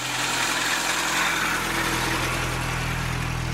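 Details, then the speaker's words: Suzuki Samurai petrol engine idling evenly after exhaust and catalytic converter welded in, fuel-injection/carburetor cleaner added; dry whirring rush over low hum, owner suspects a failing fan/fan-belt pulley bearing. "as I pointed it out before at the fan belt or a fan flush the bearing and it's going bad and you can hear it and I like I said I want it to be as quiet as it can be so I'm gonna have to do something about that"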